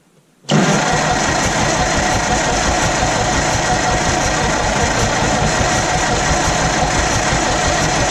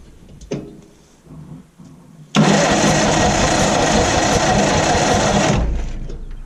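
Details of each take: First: Old Massey Harris petrol tractor, sat 4–5 years, after distributor work: it catches at once and settles into a steady, even run with no knocks or misses. First start in years, normal running. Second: Old Massey Harris tractor, sat 4–5 years, after the distributor was refitted: the starter cranks at about three turns a second for 3 s with no firing. Still no spark; the owner suspects a bad ground or the condenser.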